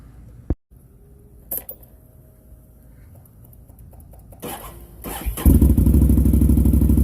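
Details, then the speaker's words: Can-Am Outlander 650 XMR with MBRP muffler freshly repacked with MBRP kit (earlier louder and rattling, universal packing failed): cranks and catches into a steady, deep, even thump with no rattle, little different from the aftermarket packing. "not a whole lot of difference in the sound of the other one with the aftermarket packing i put in"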